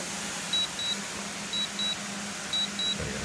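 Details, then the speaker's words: DJI Mavic Pro remote controller beeping high double beeps once a second while the screen says landing after return-to-home, but the drone keeps hovering for 10+ minutes; dead-stick issue later fixed by a firmware update. "so it's saying landing on the screen right now yet it is not landing at all you just hear the beeping noise"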